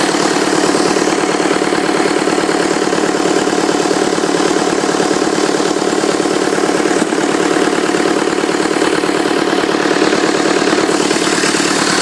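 Smooth, regular idle with an even injector tick and constant speed throughout; nothing abnormal, a healthy running diesel.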